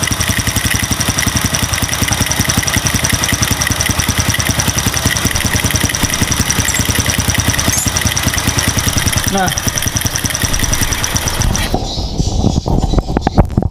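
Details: Motorcycle with RVN 53mm cylinder block, RVN Pro racing camshaft and valve springs, idling with fine fast ticking like valve clearance noise but milder, even with valves adjusted tight; not cam chain noise. Cause suspected, not confirmed.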